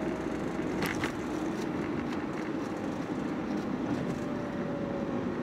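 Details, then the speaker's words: After fitting a new lower arm and absorber link, driving over uneven road: steady tyre and road rumble with no knocks or clunks; front suspension tight and quiet, steering now straight. "Tak ada dah bunyi tu. And masa saya bawa ni pun, saya rasa sedap lah sikit sebab getah-getah tu dia masih fit kan."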